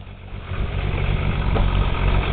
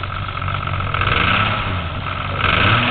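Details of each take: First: Toyota Supra 7M engine bought used, cold start to idle: deep heavy uneven bottom-end thumping, consistent with rod knock; also smoke from the oil cap hole. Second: Toyota Supra 7M engine, the black car used as the healthy comparison to a similarly modified 7M with rod knock; smooth even revs off idle with no knocking underneath. Normal revving.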